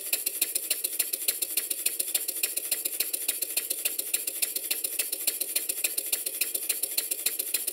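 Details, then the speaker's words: Stuart Number One model steam engine after adjusting the main bearing top caps and reversing lever travel: light, even ticking about 105 beats a minute with no knock or clatter; it now runs much smoother. "now having given the bearing top caps some attention you can hear how much smoother the engine is"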